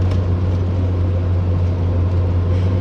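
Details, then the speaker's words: RV driveshaft on the road after replacing the broken rear universal joint that had been clunking and vibrating: a steady, even low driveline drone with no clunk or wavering hum. The driveshaft is now normal. "This is a test run of the Dolphin. It is driving perfect. The hum in the drive shaft is gone. There's no more clunking."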